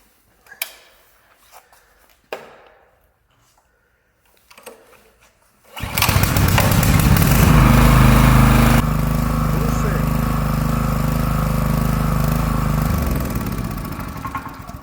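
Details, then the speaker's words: Four-stroke petrol generator that had been stalling and firing into the exhaust, after a carburetor wash, blowing out the jets, draining the sediment bowl and refitting the filter and restrictor washer. It fires after a few pulls and settles into a steady, even drone with no popping: repaired, running normally. "оберти вирівнюються полум'я немає двигун прогрівається і починає працювати рівно"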